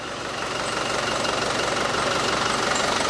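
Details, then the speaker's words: Land Rover Defender lower-mileage 300 TDI replacement engine after earlier diesel knock from air in the system: steady, even diesel idle with a smooth beat; faint squeak is the front pulley with rust on the bottom pulley. Sounds less tired than the old engine. "That sounds much better than the other engine. It does not sound as tired."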